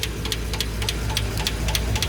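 Even light ticking from the open valve train over a low idle rumble; the lifters are pumped up and working normally.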